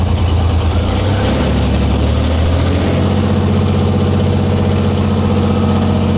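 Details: 1944 Cleveland 3-268A three-cylinder two-stroke diesel on first start after fuel-delivery fix: starts lumpy running on one cylinder, then two and three pick up together and it settles to a steady even idle; normal idle.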